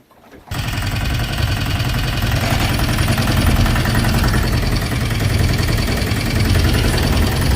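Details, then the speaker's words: Sailboat diesel inboard conversion with new belt drive, under way at about 8 mph in choppy water: even low drone, steady revs, no knocks or rattles; quieter with less vibration, running normally. "Uh it's much quieter, much less vibration free with the new belt drive."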